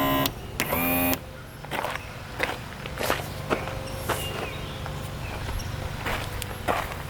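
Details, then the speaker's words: Abandoned fishing boat outboard, long sat outside, power tilt tested with key on: brief half-second motor whir then clicks and thumps; tilt motor powers on but doesn't tilt, owner unsure if stuck. "okay something in that motor right here tilt motor isn't working you can hear it powering on but it's not tilting it up and down"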